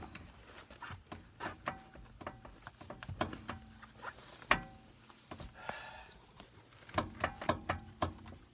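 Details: 2011 Ford Ranger with wandering steering, wheel raised, phone held close: scattered dull thunks and clicks each time the front wheel is rocked by hand; play in a worn upper ball joint, not the tie rod.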